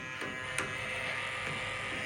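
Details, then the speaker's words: SST fogless Lube Cube coolant mister (FogBuster knockoff) on a Tormach CNC mill, air from compressor: constant high electrical buzz at one pitch; solenoid humming louder than expected, cause unclear, owner wonders if a 12 V version was better. "yeah I don't know why it's so loud I wonder if I should have just done a 12vt"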